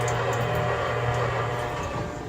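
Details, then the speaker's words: DIY kayak live well pump, primed with an added priming bulb, hose in the water: a steady low hum with constant pitch and no surging or rattling. The pump is now pumping normally, which fixes the non-self-priming problem. "Let's see, turn it on, and what's gonna happen? It's actually pumping."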